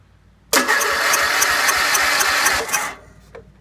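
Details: Wheel Horse B115 lawn tractor with Briggs and Stratton engine, first start after winter storage with the coil kill wire disconnected (faulty kill switch relay grounding it): engine catches at once, steady even fast idle about two seconds, then shuts off. Normal start and run.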